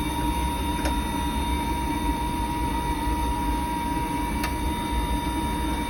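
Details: Riello 40 F5 burner with a constant high squeal over the steady burner roar, fixed in pitch. Probable cause is the motor bearing (a sealed unit with no lubrication points); suspected, not confirmed.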